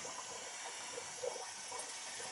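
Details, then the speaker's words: Taco zone valve replaced after it stuck open (second-floor zone overheating); purging air from hydronic heating system, low fill pressure: soft steady hiss and trickle of water moving weakly through the purge outlet. "must have a well here not a lot of pressure can hear the water coming out of the a here"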